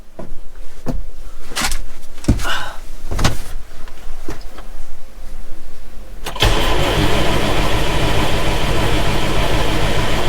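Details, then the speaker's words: John Deere 6170M tractor diesel after an engine rebuild, cranked again after running the lift pump a while: the starter grinds several seconds without catching, then runs steadily; an untightened common-rail line had been bleeding off fuel pressure, causing the no-start. "Thought it would have started by now. Oh, looks like we had a line that we didn't tighten up on the rail, which would explain why It's not starting. All it takes is one of them to bleed all your pressure off on a common rail, and she ain't gonna start."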